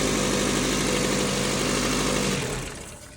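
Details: 2003 Ford Focus with accessory belt removed: engine idles smooth and even with no squeal or chirp, then winds down; noise traced to the water pump, replaced; normal idle.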